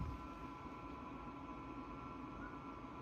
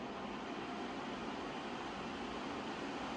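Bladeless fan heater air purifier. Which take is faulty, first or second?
first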